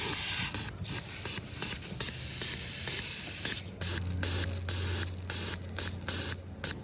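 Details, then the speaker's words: Old 42 lb injector for a Fox body Mustang, bench-tested with carb cleaner after cleaning: bursts of fine spray hiss with quick clicks, two or three pulses a second, showing the valve is working and spraying cleanly. "now if you hear your injector clicking that's usually a pretty good sign that means that the valve is actually working in there"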